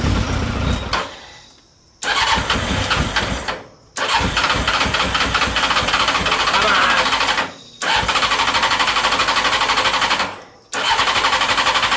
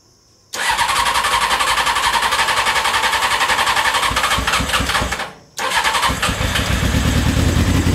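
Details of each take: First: CBR600 carbureted engine in reverse trike, spark confirmed, starter needing a bump: repeated even cranking bursts with no catch; fuel line never reconnected to the carburetors, fuel pouring on the engine; cranks but no start, no fuel. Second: CBR600 carbureted engine in reverse trike after reconnecting fuel line and closing float bowl drains: catches right away, settles to a steady run, brief throttle dip then picks up cleanly; normal start and running.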